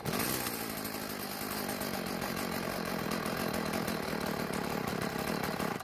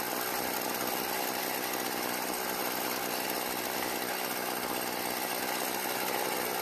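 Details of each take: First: Stihl FS36 trimmer just out of storage, after priming the fuel bulb: it buzzes raggedly for a few seconds, then fades and dies. Lean idle; it needs more fuel. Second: Stihl FS36 trimmer out of storage, after turning the L screw half a turn counterclockwise: a high, buzzy two-stroke idle holding fairly steady with a slight waver. Idling normally.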